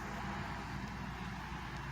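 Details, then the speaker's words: 2011 Chevy Malibu after repair of multiple misfires and stuck-open fuel injectors on cylinders 2 and 4: a steady, even engine hum with no stumble or skipped beats, no warning lights; running smoothly like new. "after replacing all that the car is running like new um no lights come up not misfiring i mean running smooth sounds good too"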